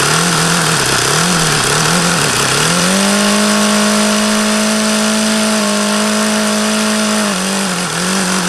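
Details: HP VT 21 rotary-valve four-stroke model engine, not overly hot: high buzzing idle hunts up and down, then holds higher and steady before sagging again, about the lowest idle ever achieved. Owner suspects a rich low-speed mixture and keeps leaning the needle.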